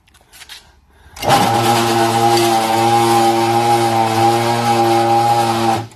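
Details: Tube-turning machine motor, belts misaligned, motor very hot: loud steady hum with strained low drone under heavy load; motor labouring, slow, near tripping the breaker.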